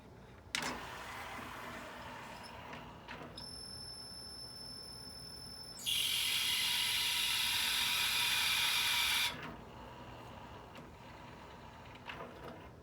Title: Sony CDP-CE275 5 CD Changer Player - Loud Noise